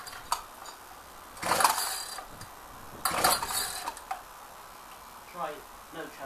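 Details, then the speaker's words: Ryobi cold start with ignition on and choke: two recoil pulls each give a brief whirring spin but the engine never fires; hard start, owner suspects stale fuel, recoil spring also acting up. "choke i think the fuel might be too stale let's try smelling it"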